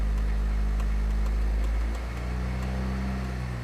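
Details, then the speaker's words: 1989 Honda Prelude petrol engine just restarted after fixing a wiggling cam gear, cooling fans not working: steady even idle with a light regular tick about four a second, judged within normal. "Everyone that says that ticking is normal, do you hear it ticking? A little bit. That's within the realm of what I'd consider normal,"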